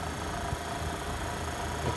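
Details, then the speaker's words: 1955 Westinghouse casement air conditioner, casing removed, compressor powered on for test: low steady hum with a faint even tone, no knocking, rattling or clicking; compressor runs normally and cools. "oh my gosh it's working Wow"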